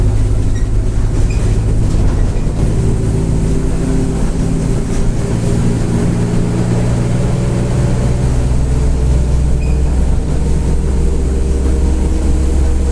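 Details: Grande Londrina 1110 Torino 2007 Mercedes-Benz OF-1722M bus, line 505 Expresso Vivi Xavier, Feb 2023: steady low driveline drone rising and falling with road speed over the diesel, rear differential roaring loudly (differential whine).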